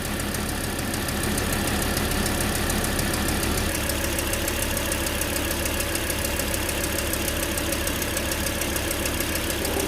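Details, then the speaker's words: Volvo C30, towed in for loss of power: uneven idle with an irregular, stumbling pulse and strange noises, the engine shaking on its mount; multiple-cylinder misfire codes, suspected weak ignition coils. "a parte de la inestabilidad en la tembladera del motor se alcanzan a percibir sonidos extraños y si te puedes dar cuenta en el soporte del motor como y comienza a temblar el motor"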